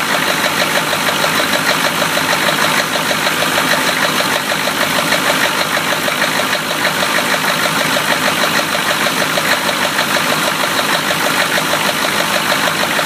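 An idling petrol engine with a steady, regular knock running through it, about two beats a second. Cause suspected, not confirmed.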